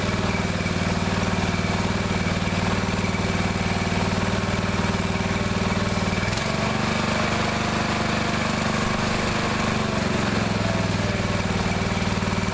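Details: Neglected riding mower after repair, fresh gas, fuel shutoff, filter and hose clamps redone, started on jumper pack due to weak battery: steady, even putter with firm low hum, settling to slightly lower speed midway, running smoothly; now runs perfectly.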